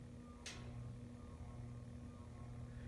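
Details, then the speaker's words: Menards Turn of the Century ceiling fan on a solid state variable speed control at low speed, drawing 0.25 amps: steady low electrical motor hum, too noisy for a bedroom; ceiling fan motor hum. "This one, that's one thing, these motors may be a little noisy. Yep, already hear the hum."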